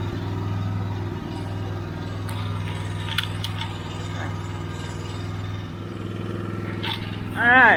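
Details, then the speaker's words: Old, long-stored generator after carburetor bowl cleaning: steady, low, lazy drone with no surging or pickup. The engine runs and turns the generator shaft but produces no power; a connection fault in the back box is suspected. Running too slow. "so it's running but it ain't making no generating no power why well she's running but she's not generating any power so i know the engine's turning over i know it's turning that generator shaft"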